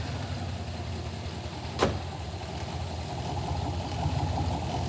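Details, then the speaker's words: Aftermarket-ECM V8 hot-wired at first start, IAT sensor just added, listened bank by bank: lumpy, uneven idle with loping low beat and a sharp tick; at least one dead cylinder on one bank, running on six cylinders. "yeah now come over here got a at least one dead hole over here yeah yeah this is not happy over here yeah the engine doesn't run right it's running on six cylinders"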